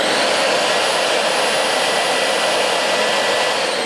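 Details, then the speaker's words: Dyson DC25 All Floors upright vacuum, bought June 2013, first run after unboxing with suction motor only: steady, even rushing hiss with faint high whistle, no rattle or pulsing; quiet, acceptable noise level, normal running. "So, it does sound quite quiet. So, this is what it is sounds like when it's suction only."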